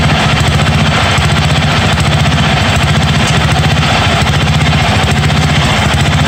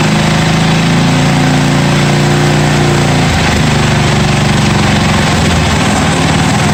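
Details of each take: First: 1982 John Deere 108 mower, first start: loud, uneven single-cylinder thump at fast idle with a lumpy, hunting beat. Jet adjustments did not help; owner says the carburetor is faulty and needs replacing. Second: 1982 John Deere 108 lawn mower being built into a mud mower, first start after fitting a different carburetor: strong, steady single-cylinder thump that dips in speed around three seconds, then holds evenly; healthy.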